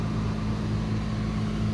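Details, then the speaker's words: Mercedes-Benz W124 300CE-24 at 203,000 km, heard from the front outside at cold idle while warming up with the air pump on: even, steady low hum, smooth engine pulse and constant fan rush; idles cleanly, normal. "these engines are a little bit loud especially in the morning when it's just warming up because right now it's got an air pump that actually turns on"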